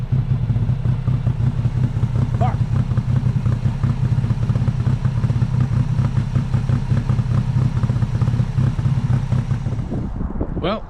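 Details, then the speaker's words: 1995 Honda Acty after jump start: uneven stumbling idle with lumpy beat and loose clatter, misfiring, white smoke, fuel pouring from air filter and charcoal canister; owner suspected stuck carburetor float, fears coolant from cracked head. Cause unknown. "It sounds like it's misfiring and all sorts of other [ __ ]"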